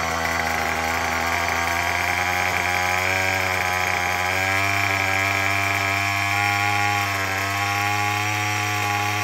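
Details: Murray M2510 two-stroke string trimmer after no-start fix (broken choke lever); loud, steady buzzing holding even speed with no misses or sputter; running cleanly.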